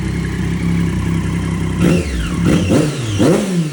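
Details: Triumph Daytona 675 rebuild after a wreck, first start in 3 months, new mid pipe fitted but muffler left off (straight pipe): loud, raspy idle then three quick, crisp throttle blips; engine revs freely and sounds healthy.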